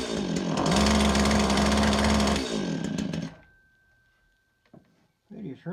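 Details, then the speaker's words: STIHL FS 80R trimmer just off choke, fuel smell: small two-stroke blubbers and burbles at a steady four beats a second, never cleaning up; extremely rich, owner suspects a leaking carburetor needle and seat overfueling the cylinder. "choke it's trying to hit seems extremely rich I can smell fuel um I wonder if the needle seat and the carburetor is not holding and it's overring the fuel that's in this your cylinder"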